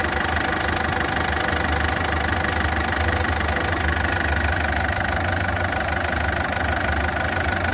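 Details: Ford Fiesta at idle: fast, even ticking, roughly three per second, over a loud, coarse engine hum, a rough-running engine. The cause is not confirmed.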